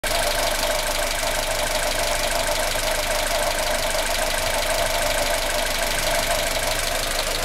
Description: Weird noise coming from the top RHS corner of the engine in my 1996 Aus Delivered Honda Civic EK Cxi D16Y4 engine